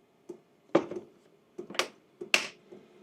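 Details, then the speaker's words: Hcalory Toolbox 2S Plus portable diesel heater priming on the hot setting before firing up: sharp, dry dosing-pump ticks roughly every second in a quiet room, audible but not intrusive; normal fuel pump ticking. "I mean, you can hear the ticking sound, but it's not intrusive. And if you're going to be running this in a garage or an awning, is it really going to bother you?"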